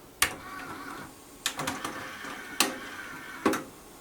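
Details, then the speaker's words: JVC TD-W717 dual cassette deck playing a tape: quiet hum with sharp uneven clicks about once a second, sometimes clustered; clicking from the transport, cause unclear. "now it also has this clicking noise okay well it's really hard to tell what the heck is going on here"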